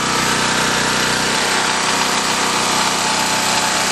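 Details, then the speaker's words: 3250-watt 196 cc portable generator running an air conditioner, lights and ham radio in mid-nineties heat, after two hours: dense buzzy drone at constant speed with a firm even beat, still loaded at shutdown; normal running under load. "and you could hear there that it still had a load on it"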